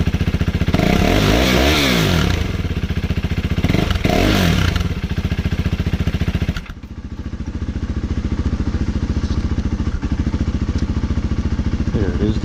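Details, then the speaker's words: KTM 390 Duke single: thumps along at about three and a half beats a second, then sags and nearly dies before recovering; rough idle and stalling, a common 390 issue; owner doubts the throttle body is to blame. "So this KTM shares the same issue as many other KTMs, and that is the stalling issue."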